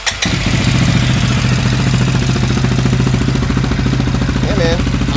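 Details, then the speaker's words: Rebuilt CFMOTO 400 ATV with a coolant tube leak noted: a steady, even idle with a quick beat, a bit faster than normal; owner thinks the idle is a little high, adjustable via a set screw with jam nut on the throttle cable. "Idle's a little high, I think, but maybe idle."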